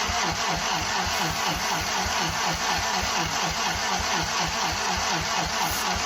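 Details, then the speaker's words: 1943 Willys Go Devil WWII Jeep engine, dormant for decades, starting fluid used: slow even starter churning about four beats a second, never catches; cranks but won't start, weak battery and poor wires suspected. "Let's crank it and see if we can get it to sputter with some starting fluid. It's the moment of truth, guys."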